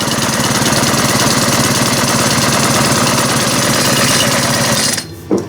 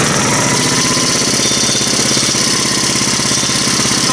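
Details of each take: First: Ice auger engine during servicing, after the high idle was adjusted down: a low, steady, even idle putter with no misses, then it shuts off. It runs well. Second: Small four-stroke engine, apparently the ice auger after servicing: fast, steady buzz at idle, noticeably quicker than a normal tickover; idle speed set too high.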